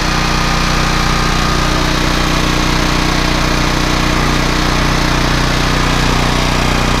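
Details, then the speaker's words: Westinghouse WGen9500DF dual-fuel portable generator, heard from 10, 20 and 50 feet. Loud, steady drone at constant speed with no surging, misses or knocks, typical of its class: normal running. "10 feet 20 feet 50 feet yeah sounds like about a knee generator in this class pretty much they're all kind of loud"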